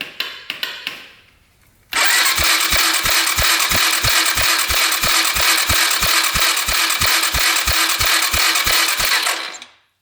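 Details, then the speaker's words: Apollo 250cc dirt bike that won't run, cranked on the electric start during a spark check: starter whirs steadily with even compression pulses about three a second but it never fires; no start, though spark proves good. "So we're going to turn this thing on, use the electric start."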